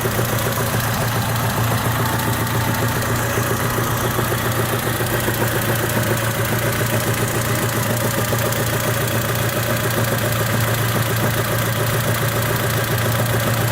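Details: 1998 Honda Civic at steady idle with a constant light rattle, roughly three or four beats a second, never letting up; source unclear.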